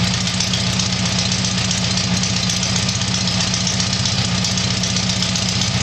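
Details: Tiger-1 engine (Bill's) after rebuild, steady even idle with a regular low beat about four per second over a constant drone; sounds healthy, normal idle.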